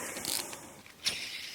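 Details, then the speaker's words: BMW E34 V8 water pump tensioner pulley removed during cooling system refresh, spun by hand: dry gritty rasp and ticking as it turns; worn-out tensioner pulley bearing, replaced with new. "Time to replace the water pump tensioner pulleys. Pop these off. Listen to this guy. Shot."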